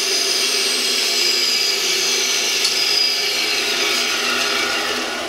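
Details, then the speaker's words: 1948 Delta/Rockwell Milwaukee 14" band saw after new urethane tires, tension spring and cover shims/washers: an even, high whistling hiss with no thumps or rubbing, smoother than before; normal running. "It has definitely a different sound with these new urethane tires. It has more of a high-pitched whistle sound, and it sounds like it's running a lot more smoothly than before."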